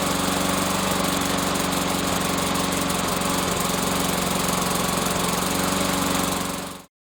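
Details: Briggs & Stratton Yard Machine lawn mower left out in weather for months, suspected water in gas; after draining, fresh fuel and starter fluid, the single cylinder chugs evenly at steady speed, then shuts off; normal running.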